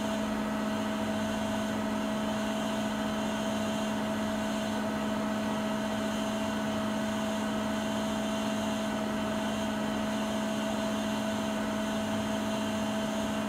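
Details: Siemens iQ300 WG41A1X1TR 9 kg washing machine, 1000 rpm, during a 13-minute spin cycle with speed peaking midway: steady high-speed spin with a smooth, constant whine and even hum, no knocking or scraping; normal operation.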